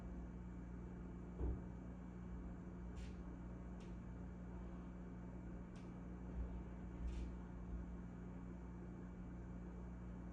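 Steady low hum and whir with a few faint clicks and knocks over it; the fridge is running noisily, cause not evident.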